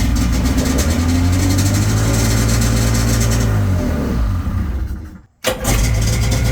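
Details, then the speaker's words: 1996 Sea-Doo Speedster, both engines started on the original working MPEM before its removal, using digitally encoded security key; both catch and settle into steady, even two-stroke idle with no misses; normal start and idle. "And I'm going to show you that both engines run just fine."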